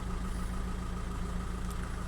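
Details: 2005 VW 2.0 TDI PD (BKD, no DPF) settling back to idle after a rev: steady, even low diesel rumble with a smooth regular beat and no knocks or misses. Boost and EGR values are closely matched; a healthy idle.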